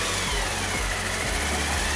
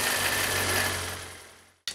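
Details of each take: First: Kawasaki ZR-7S (Zephyr 750 engine) idling after repair: steady and even with no tapping. The earlier rattle came from an alternator mounting bolt with a missing head; the bolt was replaced and the cover refitted with a new gasket. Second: Kawasaki ZR-7S with a Zephyr 750 engine, running then shutting off: fast, light clatter from the lower engine; cause was one of three generator stator bolts with its head broken off, rattling under the generator cover.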